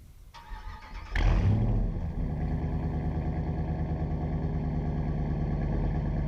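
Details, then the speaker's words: 2009 Dodge Ram 5.7 HEMI V8 (replacement engine just past 500 miles) after Flowmaster Outlaw dual exhaust install replacing Banks system: cranks, catches, settles into steady deep even burble, no misses or knocks; normal exhaust note. "Yeah, it's a bit more aggressive, but it's deceiving. The Banks exhaust was just loud all the time. The Flowmaster exhaust here is only loud when you're on it."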